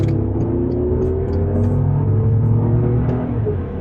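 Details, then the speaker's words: Cheap restored W12 Bentley Continental on old tires, on-road drive: deep, even engine note pulling steadily under acceleration, no knocks or misses; engine pulls great and drives smooth. "You know what? That engine pulls great. It actually drives really, really smooth."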